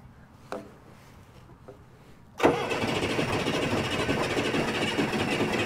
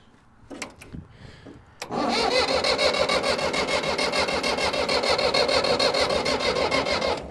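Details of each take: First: Old Case diesel tractor (called an 1896 Case), cold engine, starting fluid sprayed into the intake: a few weak puffs, then it catches into a loose, uneven clatter as the cold diesel struggles to start and settle. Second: Old Case diesel tractor (called an 1896 Case), after connection trouble: it cranks, then catches and settles into an even beat of about 200 a minute with no misses; it starts and runs, later stopping, probably out of diesel.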